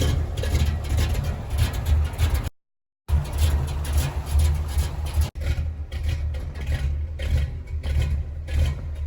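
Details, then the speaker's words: 1983 Chevy K20 V8 with an Edelbrock 600 CFM carb and electric choke, cold start at about 30°F after two weeks sitting: deep, even rumble with a slight cold lope, no knocks or misses; normal cold idle. "Chevy K 20 it's about 30 degrees outside I haven't started it in a couple of weeks it's got a Edelbrock 600 CFM electric choke"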